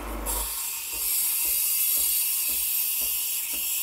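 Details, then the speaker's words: Breville Barista Express BES860 steam wand frothing milk, tip at surface making a vortex: bright steady hiss with soft rhythmic pulse, air injection held about 20–30 seconds. "like that that hissing sound means that you're injecting it and you want to do that for about 20-30 seconds maybe"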